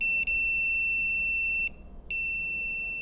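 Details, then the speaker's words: HVAC low-voltage thermostat wiring tested with a continuity meter: a steady high-pitched beep holds, drops out briefly, then returns; continuity between green and yellow conductors, so the thermostat wires, including the green fan wire, are shorted. "green and red is shorten so we got the green wire to the fan sounds like it's shorten or something else is shorted"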